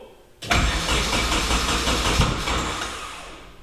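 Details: KA24DET-swapped Datsun 510 wagon on new MicroSquirt ECU, start attempt with timing set as best as possible: starter spins about three seconds with no firing or catch, then winds down; cranks but won't start.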